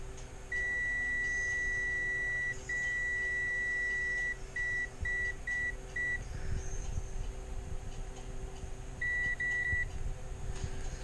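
Shrill, steady meter tone, sustained then in short broken beeps, as the probes bridge battery negative and a motor pad; that output is shorted. Cause suspected, not confirmed.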